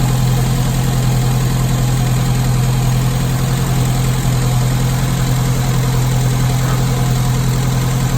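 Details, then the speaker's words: Classic Mini carburettor engine during Gunson Colourtune tuning: steady smooth idle, brisk beat, no misses, but still idling a bit too fast; idle adjustment screw being loosened with a small screwdriver to bring it toward about 900 rpm. "So as you can hear, again, it's still idling a bit too fast. So all I'm doing is I'm just taking a small screwdriver and just loosening off the idle adjustment just to bring that idle down a little bit."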